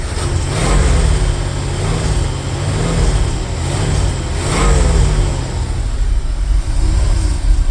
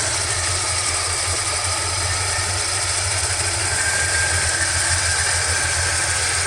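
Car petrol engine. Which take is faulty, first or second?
first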